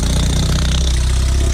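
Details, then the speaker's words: 2005 Lotus Elise with a Weapon-R header and cat delete only mocked up, with no gasket, open O2 sensor holes and nothing bolted. Loud, raspy idle with a sharp puffing tick on each pulse: exhaust leaking at the ungasketed header. "you can hear you know there's no gasket on it we have a gasket or anything on it we just throw it start it up for the heck of it"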